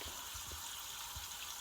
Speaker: I heard this noise like can you hear that my laundry area will select right here dirty clothes so I hear that it is water leaking from right